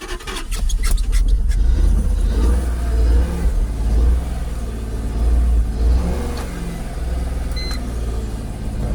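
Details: Jaguar XKR with persistent "Restricted Performance" fault, struggling to idle during live-data scan: deep engine note surging and sagging unevenly, near stalling; root cause not yet found.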